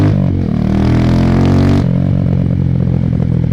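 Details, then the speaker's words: 2005 Honda FTR223 single with aftermarket exhaust and air filter: even thump as revs climb and settle, no knocks, rattles or misses; mechanically good, healthy running. "That big aftermarket air filter helps too, but she feels great. I mean, mechanically into ride, she's really good."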